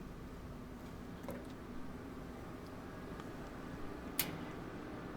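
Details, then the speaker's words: New Napoleon Rogue 425 Pro gas grill, first 30-minute burn-in with all burners on high: a few sharp igniter clicks in a quiet room, then a soft steady rush as the burners light; normal ignition. "You'll be able to hear the click, and you'll see the flames come up."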